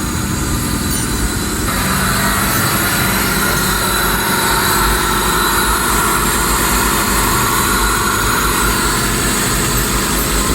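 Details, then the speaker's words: 2008 Suzuki Liana, replacement engine's first start after cranking without plugs to circulate oil, good compression: loud steady even idle, no knocks or misses; noise attributed to throttle body, expected to quieten once filter fitted; normal idle. "गाड़ी के engine में लो bye नहीं है। ये जो की आवाज आ रही है वो इधर स्पॉटर बॉडी की है।"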